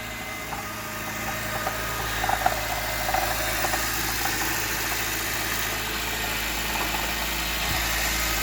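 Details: 2019 Honda CR-V Hybrid cold start: cold engine idles with a steady hum and light, uneven knocks and ticks coming from inside it.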